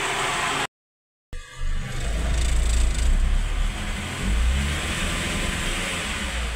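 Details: Mitsubishi Space Wagon that would not start, fixed at the distributor; engine picks up and revs cleanly with steady even firing, no misses, knocks or stumbles; normal revving.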